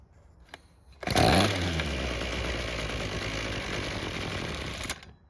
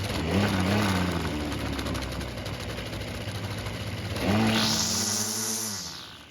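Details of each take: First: Ryobi string trimmer that wouldn't start: after the carb was taken apart and fuel confirmed flowing through the purge bulb, it fires with a loud burst, runs rough and sagging about four seconds, then dies; the idle screw was turned out during disassembly, so idle is set too low. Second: Ryobi two-stroke string trimmer that would not start, after its carburetor was ultrasonically cleaned a second time, no adjustment needed: buzzy, even idle, then a clean snap to high rev and a smooth return. Normal running.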